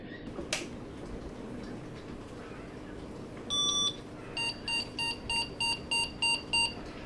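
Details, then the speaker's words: Gigabyte GA-486VM early 486 VLB motherboard, powered on after a temporary patch-wire repair: a single beep, then eight short, even high beeps. That is a video card error, likely a VGA card unused for about 20 years; better than the earlier error. "okay so right off the bat that sounds like a better error than we were getting last time uh and that tells us that our fix has definitely made a difference somewhere now eight beeps generally means a video card error"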